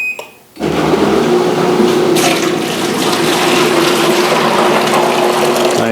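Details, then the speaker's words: Whirlpool Cabrio washer drain pump on drain-and-spin test cycle, bucket of water added, drain bucket raised on a stool to mimic pump head: even hum under rushing, splashing water, no knocking or grinding; pump discharging normally, no trouble found. "Now you can see the pump is running and it's discharging the water. There's the pump running and discharging the water, and that was pretty much it."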